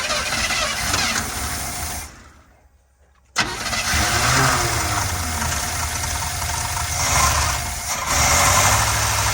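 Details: 1979 Chevrolet C10 pickup, first revival start with choke door held open: engine catches, cuts out briefly, then runs unevenly with a loping irregular beat; rough running, cause unconfirmed, with a fuel return leak also present.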